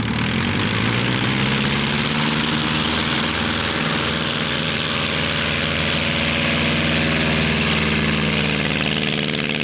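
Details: Pietenpol (Piet) aircraft cruising after engine rebuild, max 2525 rpm or better: deep steady growl at constant pitch, no surges, knocks or misses; louder, deeper and growlier than before rebuild; healthy cruise running.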